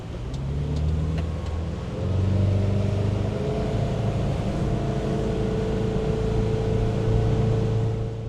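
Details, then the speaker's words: 1996 Sea Ray 260 big-block with stock through-water exhaust, in the water, idle to full throttle: deep even V8 rumble rising smoothly, no knocks or misfires, wind hiss dominant; healthy and quiet. "so another one of the things we wanted to check is this is a stock exhaust it comes out in the water in general it's really quiet so we got a DB meter on my phone and we're going to see how loud this is from idle all the way up to Full Throttle while we're in the water"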